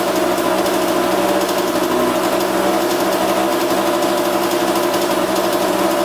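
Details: 1982 Kawasaki KX125 two-stroke after coolant leak repair with gasket maker: crisp even buzz at steady pitch and level, no misses or knocks; running cleanly, no leaks, oil not milky.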